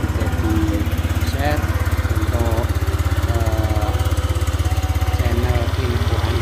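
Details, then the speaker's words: Honda Vario 125 LED scooter after engine teardown and rebuild (was hard to start, smoking and often running out of oil): exhaust no longer smokes, pull is normal; steady even single-cylinder beat, no knocks or misses. "di sini kelihatan untuk ee narpot sudah tidak berasap lagi guys ya dan tarikannya juga sudah normal begitu"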